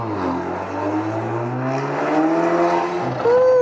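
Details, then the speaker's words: Alfa Romeo after coolant hose replacement, running warm-up: engine note climbs and falls with the revs and a whistling turbo tone rises and drops; healthy turbo spool, no smoke. "that turbo spool yep that's just sounded nice"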